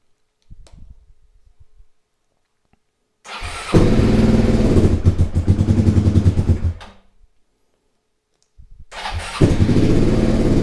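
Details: Suzuki SV twin being restored, after timing reassembly and correct cam timing: cranks and catches quickly, then steady even twin-cylinder idle; runs far better, though an exhaust leak at the top remains.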